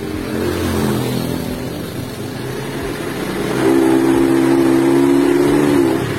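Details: 2017 Honda Beat scooter pulling with a rough, uneven note that stumbles and sputters as the throttle opens, losing power.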